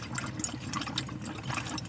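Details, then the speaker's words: Motorhome van water system refilled after winterisation, pump switched on: irregular spluttering and gurgling as air purges from the lines while the Truma boiler fills; normal, clears once water runs through. "if I put this pot on, it will splutter for a while because it's now filling up the trimmer boiler. I can hear it gurgling,"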